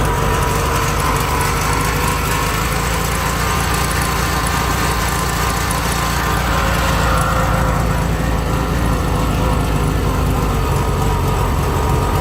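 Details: 1971 VW Bus Deluxe air-cooled engine, rebuilt carb, choke on top notch: heavy uneven low idle drone with faint whirring, idles then dies; running a bit rich, generator noisy; owner suspects carb not dialed in.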